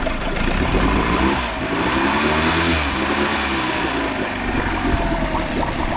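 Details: Used small outboard said to have run previously, oil checked, started on choke: steady low idle with even beat, no knocks or misses.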